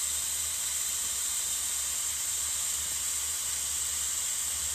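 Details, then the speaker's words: Corona plasma reactor switched back on, ozone smell noted from ionisation: steady even high-pitched hiss, no crackle or popping; normal corona discharge. "Ya, tapi yang paling mencolok dari plasma corona itu adalah bunyi desisannya seperti ini ya."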